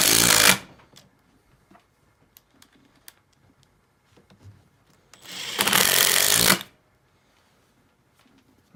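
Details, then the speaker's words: Makita XDT14 brushless three-speed impact driver at full speed, driving a screw: two loud bursts of rapid hammering, each about a second long, with quiet between; normal impacting. "with a regular drill it's gonna torque your arm over but an impact driver really doesn't cuz it's impacting there's no actual torque on your arm"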